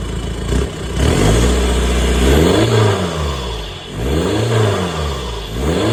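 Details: VW Touran TDI diesel after swapping a faulty reconditioned turbo for a scrapyard one to fix a boost problem: idles, then revs up and down smoothly several times with nothing rattling or whistling; running normally.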